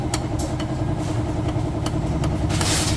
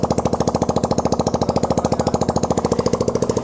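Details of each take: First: Engine run with almost no oil, about 37 on the odometer: loud metallic clatter with sharp, steadily repeating knocks over the idle; connecting rod knock from oil starvation, with worn side plates. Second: Engine rebuilt after running without oil, after alignment and oil check: even, steady firing pulses about three and a half per second, no knocks or rattles; engine running normally.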